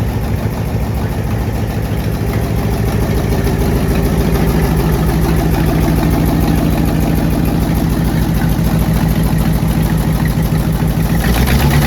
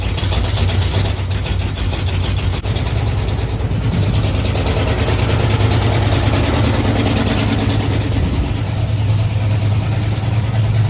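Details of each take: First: AMC 327 V8 in a Jeep before exhaust manifold gasket replacement: rough idle with sharp fast puffing tick in time with firing, a badly leaking exhaust manifold with soot-marked gaps at the manifolds. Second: Jeep AMC 327 V8 at idle, just started in about 30-degree weather and warming up, after new exhaust manifold gaskets and flanges. Deep, quiet, steady burble with no manifold hiss, far quieter than before. An obvious engine knock is now audible.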